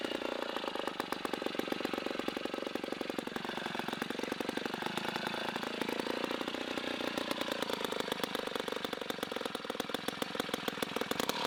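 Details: 1960s Homelite C-51/XL-12 vintage two-stroke chainsaw, revived, started with choke: fast, crackly firing with slightly wandering speed and a burbly edge. It is running a little rich and may be low on fuel.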